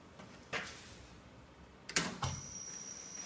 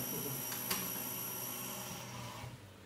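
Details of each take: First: Small CNC router with lead screws, motor power switched on before running a simple file at 1800 speed: switch clicks then steady electrical hum with thin high whine; suspected from board loose on top of metal box. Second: Small CNC router modified with new lead screws, jog test after adjustment and alignment. A soft, brief stepper hum with a light click as the axis moves, no grinding or skipping; everything runs smoothly.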